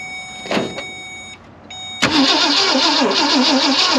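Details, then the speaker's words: 1965 Ford Thunderbird off the road since 1986, on a jump box with gas: a click, then steady starter churning with no firing. Owner suspects flooding or a weak jump box and battery. It later fired with another battery. "man come H maybe I flooded it I don't know I guess I might have to change batteries though my my jump box life was not very good"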